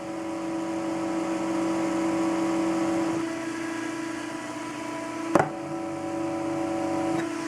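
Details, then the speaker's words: Stock H100i AIO cooler fan, already loud, set on a solid table. A steady electric whir carries a strong low buzzing hum that swells and eases: the fan's vibration is being carried into the hard mounting surface. "so you can see this is already a loud fan but what makes it extremely loud is when you mount it to something solid for example the table"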